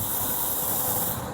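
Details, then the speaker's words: RV propane line after the excess flow valve kicks in: a steady high-pitched hiss of propane still leaking, since the EFV does not shut the gas off completely. "That's propane leaking."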